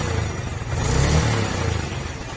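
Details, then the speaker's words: 2004 Yamaha Vega R, engine warm: short rev with deep, even exhaust note and no rattle or clatter; smooth when hot, cold-morning rattle traced to loose cam chain. "Ini kondisi mesin panas, sudah halus. Nah, sudah halus ya bro."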